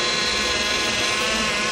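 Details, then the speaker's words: Power steering pump at engine idle with 25 in of vacuum drawn on it to bleed air after service: a steady, high, hissy whine from air in the fluid; power steering pump whine from air in fluid. "I'm going to draw 25 in of vacuum on the pump and as I draw the vacuum you can hear the pump starting to make noise as we're pulling the air from the"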